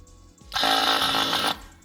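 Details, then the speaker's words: Electric cruise-control vacuum pump on a 5.9 Cummins-swapped Ram 1500, key on: steady electric buzz switches on for about a second then cuts off by itself; pump cycling normally after the fix. "yeah can hear the pump going so I'm assuming it's vacuumed up right now"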